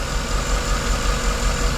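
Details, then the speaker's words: 2011 Chevy Tahoe with misfire, white exhaust smoke and injector code: lumpy V8 idle with steady low stumble, number 3 cylinder dead; spark present at cylinder 3, fuel smell, number 3 injector suspected. Cylinder misfire. "pretty much number 3 cylinder is dead."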